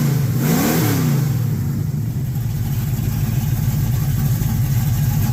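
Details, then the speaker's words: 1967 El Camino small-block 355 with Vortec heads and big cam, after installing PRW 1.5 full roller rockers and setting valves with poly locks: smooth steady V8 idle burble, no misfire, tapping or rattle. "Lock all the poly lock. No misfire. No tapping. Sounds good."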